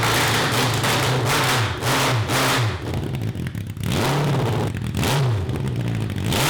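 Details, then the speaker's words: 1982 Honda CB750 carbureted four (cross kart), after jets drilled: revs up but stumbles and breaks up each time it climbs, falling back short of high revs past 4000 rpm, with fire from the exhaust and no black smoke. The owners suspect a lean mixture. "this is why we need like an o2 sensor it doesn't smell overly rich though now i don't see black smoke either yeah i mean it's blowing fire out of the exhaust too just to me that seems like a lean issue"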